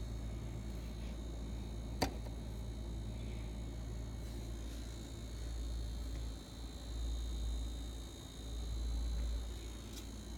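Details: LG refrigerator with a buzzing vibration problem: a steady low buzzing hum with a faint high whine and one sharp click.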